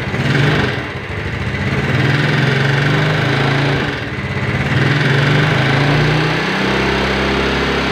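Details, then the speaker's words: Yamaha Mio Sporty scooter after a rebuild with a 200 oversize piston and worn camshaft and rockers repaired without replacement. The idle rises and falls with faint, uneven tapping under the buzz. The mechanic attributes the slight internal knock to a slightly worn connecting rod. "eh sedikit dentingan Nadia untuk suara area dalam mesinnya karena yaitu tadi stang piston untuk motor ini sedikit goblok"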